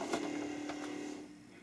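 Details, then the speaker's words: Commodore 1541 disk drive at power-up: the spindle motor hums steadily for about a second, then winds down and fades. It sounds different from a normal drive, cause unclear. "definitely a different sound on the motor"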